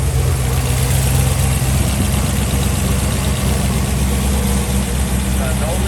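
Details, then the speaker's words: 2018 Camaro ZL1, first start after a camshaft install with new lifters, rocker bushing upgrades and an upgraded Katech oil pump: deep, loud, loping idle with an uneven chop about four beats a second and no knocks or ticks. Healthy cammed idle. "Nice and quiet. It's alive. Let's listen to this chop."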